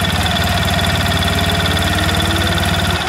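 Steady single-cylinder putter at a fast even beat with a faint whirring clutch behind it; idle sounds normal and settled.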